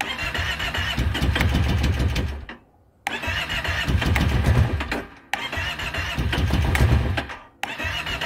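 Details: 2012 Kawasaki Brute Force 650i ATV cranked with the choke closed. There are three roughly two-second starter bursts with pauses, and the engine turns over but never fires: crank, no start.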